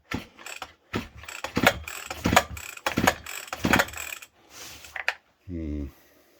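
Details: Stihl FS40 strimmer, already through two repair shops, on the bench: repeated recoil pulls, each a quick ratcheting whirr about once a second, and it never catches; no spark seen on test, carburetor rebuild expected: no-start.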